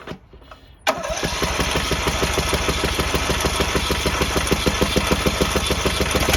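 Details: Troy-Bilt 7550 W dual-fuel generator with a Briggs and Stratton single-cylinder engine on propane, after an electrical connection fault that stopped it starting was repaired: it catches on the first pull and settles into a steady, even beat, a normal start.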